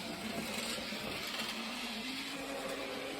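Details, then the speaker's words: Hornby TT:120 DCC locomotive with a Hornby-fitted replacement motor at full speed (CV 255, 126 speed steps): loud, harsh, high-pitched whir, steady but rough; motor excessively noisy and too slow, struggling to reach scale speed. "So you can hear the motor is excessively noisy, and it is also, I'd say, too slow. It's struggling to get anything like its scale speed."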